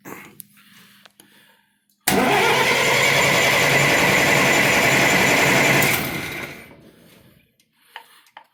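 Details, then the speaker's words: Perkins diesel 16 kW generator newly installed in a storage building, cranked by shorting the starter solenoid: steady whirring crank for about four seconds that stops without catching; fuel pressure then came up. "we're going to see if this thing turn over right quick. What I'm going to do, I'm going to short the solenoid out right here. It's just like hitting a push button."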